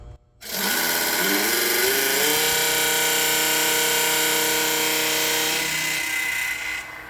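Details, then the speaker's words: Twister T4 cannabis trimmer, stainless version, blades powered on under the motor during pre-run inspection, before the blade contact is adjusted: the motor spins up to a steady, bright metallic buzz, then winds down. "so we're going to start by turning the blades on to see how they sound"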